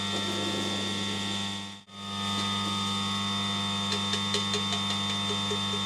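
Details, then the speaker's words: Newly mill-cut straight-cut gears run before oiling: steady whining hum with light irregular clatter; ordinary straight-cut gear mesh and backlash noise, nothing wrong. "the the gears are noisy the all as noisy the straight cut gears that's just a backlash"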